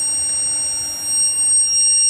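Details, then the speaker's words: Heathkit HP-13 mobile power supply running on 12 volts: constant piercing high-pitched whine from the transformer driven in and out of saturation by the transistors, normal for this design. "That whine is the transformer going in and out of saturation. That's the way it's designed."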